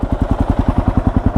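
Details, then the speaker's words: Completed Kawasaki KLR 650 single, warm after test ride, idling: even regular thumping about nine beats a second, no clatter or misses; smooth, quiet, healthy idle. "As you can see, she runs like an absolute top, doesn't she? How quiet is that engine? How smooth is that engine?"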